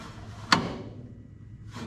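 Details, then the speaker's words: 1960 US Army 5 kW gasoline generator, rebuilt 1963 and unrun for 58 years, engine turned slowly by hand: one sharp, hollow knock, as if something rides over a cam and drops; no bind, cause unknown, previous owner suspected the magneto. "there's no bind in the motor and it literally feels like when you do this manually like something's coming over a cam and dropping down"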